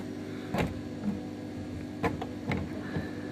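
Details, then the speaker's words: Silhouette Cameo 3 cutter, loading/unloading roller drive with top removed, shaft stops spinning intermittently: quiet motor whir broken by irregular clicks and snaps as the gears catch and lock up; drive gear jamming. "it does appear to be getting jammed in the movement brought up out there and then back this way as well you could hear it see it locking up"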